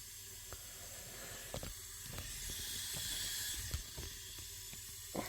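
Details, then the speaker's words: 2005 Holden VZ Commodore V6, no-start; leak-down test on cylinder 4 at TDC on compression: soft steady hiss of escaping air with a few clicks, about 70% leakage, 80 psi, timing appears jumped; suspected bent valve, not confirmed. "Yeah, might have a bent valve situation there."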